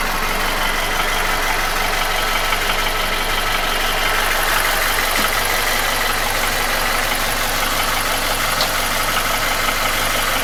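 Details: Nissan QG16DE engine without hydraulic lifters, idling: light regular tapping about three per second, felt between cylinders 1 and 2 at front of block; began 1.5k km ago, after piston rings, oil rings, timing chain and guide replaced 2k km ago; oil change didn't help; gone when revved. Cause unconfirmed.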